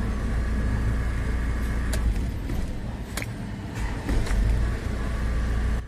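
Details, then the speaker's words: Isuzu Trooper diesel after repair of a leaking No. 3 fuel injector that had caused hard starting: deep, steady idle with even clatter and no stumble or misfire; starts clean, with the idle stronger than before. "tama na yan Mga boss dahil patunay na yon na okay na yung pagkakagawa dito sa sasakyan"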